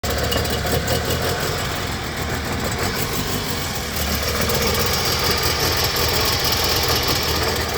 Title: Троит двигатель 2AZ-FE, Toyota Harrier, плавают обороты, что-то попало в абсорбер